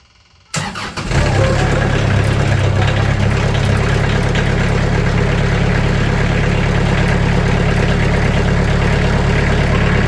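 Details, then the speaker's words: Sawmill engine started and idling, blade tensioned to about 500 psi to quiet blade: steady idle with loose, buzzy metallic chatter over it; sheet metal doors rattling, before fitting 80 mil sound-dampening sheets. "You can hear the rattle, and you can see the rattle right here."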